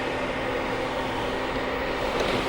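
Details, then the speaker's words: Newly installed coolant heater in a Sprinter van, working after about half an hour of cycling: a steady, even rushing whir of strong hot air with no rattles or pitch changes, the blower running smoothly. "So, yeah, this is finally working, which is awesome. Yeah, this is blowing nice hot air. You can hear it too."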